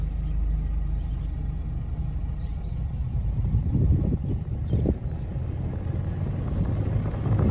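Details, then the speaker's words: 2010 Nissan Pathfinder heater/A/C blower after replacing the fan speed resistor, engine running: steady low air rush building and holding even with no rattle or whine on high; fan speed now adjustable and switches off. "as you can hear now i can reduce or increase the fan and i can turn it off completely"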